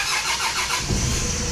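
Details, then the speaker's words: 4D56 diesel after retightening the loosened fuel lines: a brief crank that catches straight away and settles into an even diesel run; starts cleanly and runs normally. "okay and now when we crank our engine it should start with no problem"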